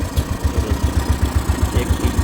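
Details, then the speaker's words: Royal Enfield Classic after head rebuild for tik-tik noise (hydraulic tappet, piston rings, valve guides, seats): even thump of the single at slow idle, about six beats a second, no ticking or knocking. "एक से में हो गया और इसका cow सुनिया और आल देखिए रहा है साउंड कितना प्यारा लग रहा है आप सुन सकते हैं"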